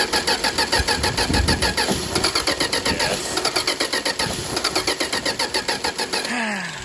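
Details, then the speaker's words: 1962 Dodge Lancer, cold start attempt after carb overhaul and points work, ran the day before: fast steady cranking about six seconds with no firing; owner suspects ignition, number three plug found loose. "just from the way this thing sounds I did have a hunch this was ignition related"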